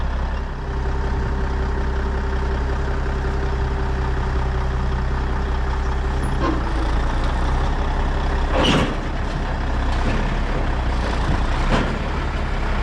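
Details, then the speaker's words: 1994 International 9600 cabover, N14 Cummins diesel, 561,000 miles: after fixing the air line fitting and unplugging the low-coolant shutdown sensor, smooth, steady idle with occasional air hisses as the system builds pressure; healthy. "so now it fires up and runs so we'll see if we can build enough pressure to pump up the suspension and uh release these brakes"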